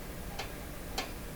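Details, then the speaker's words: 1925 Magnavox Type D TRF radio: two sharp clacks about half a second apart as the tuning dial reaches its end, from the friction drive catching in worn divots. "so look at look at those divots got stuck in one of those rats"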